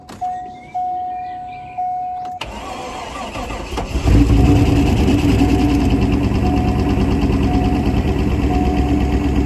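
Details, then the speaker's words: Corvette C5 coupe V8, a crash-damaged non-runner, first start after repairs having not run for a while: a chime, then it cranks and catches into a lumpy, uneven idle; slight misfire suspected from sitting. "it's going sounds like the m be a bit of a misfire it's not run for a while"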